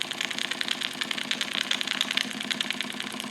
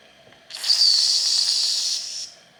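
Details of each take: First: Wilesco D455 tabletop double-acting stationary steam engine, throttle full open, warming up while purging condensed water and oil: quick, even chuffing at about three beats a second, crisp and regular, no knocks. Normal running. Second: Wilesco D455 stationary steam engine, warm boiler: short sharp hiss with faint shrill edge, no full whistle note; steam whistle hiss from boiler pressure not yet built up.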